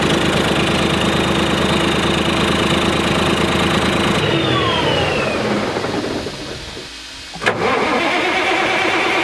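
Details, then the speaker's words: 1991 Freightliner FLD120 Detroit Series 60 diesel started on fresh batteries, runs a few seconds with a slightly uneven lumpy beat before shutting down; misfire from a bad injector. "i know it was kind of a short start but there's a bad injector so we couldn't really you know keep it going much longer"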